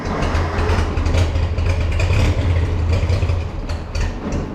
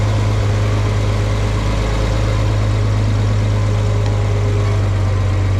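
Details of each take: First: Farmall 460 tractor, rebuilt engine, old ignition before electronic ignition upgrade, fuel on: low, lumpy idle stumbling irregularly with uneven beats, ignition misfire; engine about to die and tractor won't move. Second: Farmall 460 tractor, rebuilt engine, just fitted with electronic ignition, driving: deep, steady drone with an even beat and no misses or knocks; runs well, though owner thinks timing advance may need a slight tweak.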